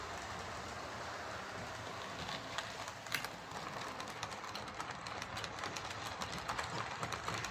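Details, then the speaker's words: Bachmann Webb Coal Tank 0-6-2 model locomotive pulling three coaches: steady rolling rush with sharp irregular clicks building in on curves. Traction fine, no stalling or derailing. Deformed wheel flange striking the rail, less in reverse. "So that's pulling coaches fine, there's no traction issues, it's not stalling in points, it's not derailing, it's just making a clunking noise on the curves."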